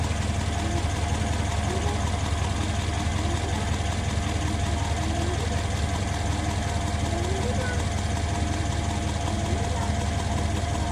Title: M157 engine knocking noise pls help